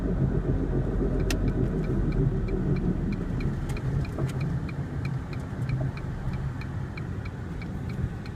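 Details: 2001 Ford Focus, front driver side: horrible scraping/grinding at high speed, heavy road rumble with faint rhythmic scrape about four times a second following wheel rotation; persists after replacing both front rotors, sway bar links and driver side wheel bearing.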